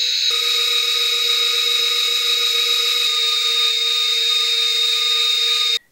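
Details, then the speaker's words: BetaFPV 1102 13,500 KV brushless motors on 1S in HX100SC quad, bearings throughout, tested for effect of bearing oil; clean steady high whine at one pitch, no rasp or grinding, bearings smooth: normal motor run. "moving up in size these are beta fpv 1102 13,500 kv motors running on one s this is my H X 100 SC now these motors do have bearings all the way through and so I don't expect the oil to make a big difference but let's see"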